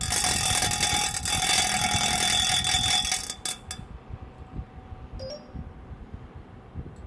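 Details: Rubine Pro Eco unit heard from downstairs outside, loud harsh roar with a steady piercing tone for about three seconds, then cutting away; abnormally noisy, cause unclear.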